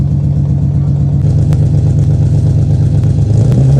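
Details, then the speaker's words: 1990-96 Nissan 300ZX (Z32) left idling outside to warm up; steady, even low idle with smooth rhythm and no misfire stumble. Misfire was fixed by reseating brittle, loose connectors. "so just gonna let it run out here for a little while at once once it's uh warmed up then I'm gonna probably turn it around that way it's pointing the other way in the garage"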